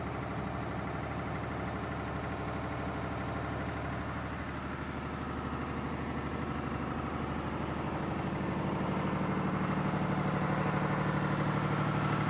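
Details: Air-cooled Lister diesel generator set, 109.5 HP, about 100 kVA farm backup, on its monthly check start; loud steady diesel beat about three firings a second with heavy fan roar, running healthy.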